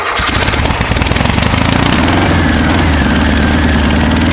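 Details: Bare air-cooled VW flat-four on a starter stand, unknown history, reassembled, timing set about 7.5° BTDC without vacuum advance, carb not yet tuned; steady, even idle with low thrum, no misses or knocks. Normal idle.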